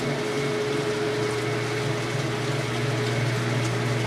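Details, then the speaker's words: High-efficiency washer spinning up after draining its rinse water, with wattage being measured: smooth, steady motor drone with a low hum and faint water swish as the drum builds speed, no knocking; normal spin. "Just getting up to speed. I'll show you once again the wattage reading once it's up to speed. You can hear the sound of the machine."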